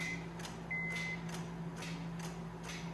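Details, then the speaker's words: Car with key turned to start: sharp clicks about twice a second, engine never cranks; the clicking indicates a bad starter, no start. "now if you can hear that clicking that's a good indication of a starter being bad but i'm going to get to that later on"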